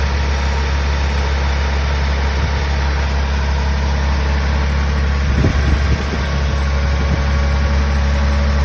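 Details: 1985 Toyota Celica Supra straight six, cold start after sitting a few weeks, timing belt changed at 115,000; steady low drone, smooth even idle, no knocks or ticks, normal.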